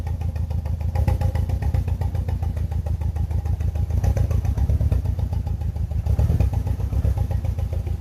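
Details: BMW E46 318i N42 with one dead ignition coil: uneven, lumpy idle with irregular thumps in the exhaust beat as one cylinder drops out; misfire.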